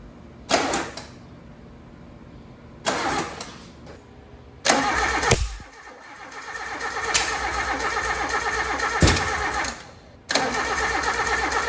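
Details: Suzuki Samurai in a build, first start after weeks of problems: engine cranks in several bursts with sharp backfire pops but never catches; owner first suspected the distributor and re-timed it.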